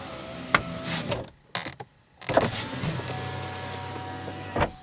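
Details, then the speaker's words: 2000 Chevrolet Impala with a no-start and security-light problem: with the key turned to accessory after four dings, short smooth window-motor whirs rise and stop, with no grinding or binding; the power windows now work normally. "Turn it to accessories. One, two, three, four little dings. Now the electric windows work."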